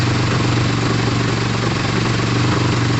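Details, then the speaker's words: Motorcycle at a steady, even idle with a low thrum and no knocks or misses, after a restart (the fuel had been off). Pod filters are fitted and the coolant is plain water. The owner is unsure what the earlier cylinder-one problem was. "so we're running we're idling we're revving like crazy"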